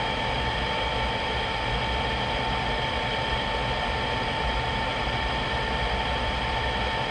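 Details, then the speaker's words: GE/Rheem power-vent water heater after replacing the vent blower assembly, whose old motor had a bearing noise ramping up after about a minute. Steady, even fan whir and mid-pitch hum with no rattle or wobble. Normal blower operation, problem solved. "after the first minute it's still sounding fine a few minutes later so that sounded good the whole time it was running this definitely solved my problem"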